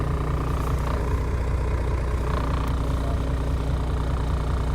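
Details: 2015 Volvo VN truck, Volvo D13 425 hp/1750 lb-ft with I-Shift, no engine faults: steady, even low diesel chug at idle with no knocks or misses; normal idle.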